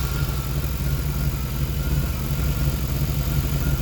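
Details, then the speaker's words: Truck with throttle-body injection, running after a debris-clogged fuel tank was dropped, hot-tanked and cleaned and lines and pre-filter cleared; steady low, slightly loping idle with no knocks, idle speed dropping lower than it should. "so we're running good still you can hear the idle dropped"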